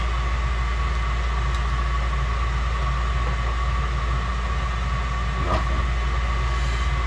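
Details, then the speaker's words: 1991 Snyder General spark-ignition furnace with no heat: the inducer runs with a steady low roar and a faint airy tone, but there is no ignition and no voltage at the spark box, because a partially plugged port keeps the pressure switch from closing. "Pressure switches aren't making. Man, you can hear the vacuum on that inducer hole. That's crazy."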